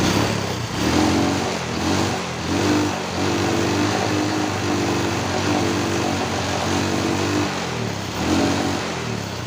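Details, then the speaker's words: Honda Wave 125S that won't rev, after timing chain tensioner replacement and valve adjustment: repeated blips climb but flatten early and fall back. The cause was found at the carburetor: the choke was stuck open and the choke opener is cracked. "เราพอรู้สาเหตุแล้วครับว่าทำไมมันเร่งเหมือนเร่งไม่สุดนะครับเมื่อกี้นี้ผมลองสตาร์ทดูปรากฏว่าไปดูไปดูมานะครับมันอยู่ที่ตัวคาร์บูนะครับ"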